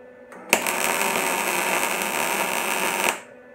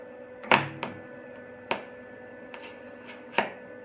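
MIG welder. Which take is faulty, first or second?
second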